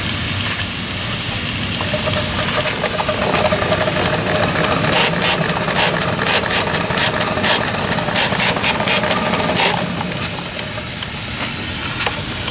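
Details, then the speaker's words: 7-1/2 gauge Clishay live steam logging locomotive, first run in a year, boiler hot, running forward and reverse on short track: regular chuffs about two a second over steady hiss, no clanks or stumbles; normal running. "That's the first time it's been running a year. I hadn't run it until just now. It's so reliable though, it just runs great."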